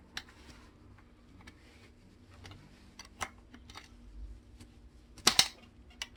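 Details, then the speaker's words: Bicycle saddle rail clamp, previously tightened very hard, creaking as it turns: irregular dry crunching ticks and clicks. Sand and grit had got inside the clamp, found when it was disassembled. "지금 돌아갈 때 약간 썩으락 소리 나죠? 썩그럭거리는 소리 나죠? 지금 나는 소리야. 썩그럭 소리가 나요. 흙이 들어갔다는 얘기겠죠?"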